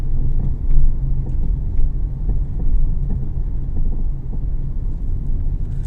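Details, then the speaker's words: Honda Civic driving over bumps: deep road rumble with light, irregular knocks from the suspension. Worn drop/stabiliser links; after replacing them the knocking was gone. "that is the drop links so i'm going to get this drop link fixed on this honda civic"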